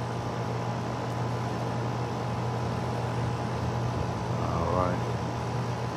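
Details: Outdoor AC condenser running on a no-cooling call where cans were left on the unit; pressure 105, 71°F day. Steady low hum with even fan whoosh, no rattles or buzzing; running normally.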